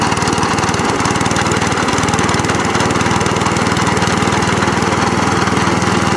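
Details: Cylinder mower after new cylinder gear and pulley tensioner, drive cable refitted: single-cylinder engine at a fast, even patter, steady pitch, no knocks or slipping; drives and cylinder cuts in, healthy.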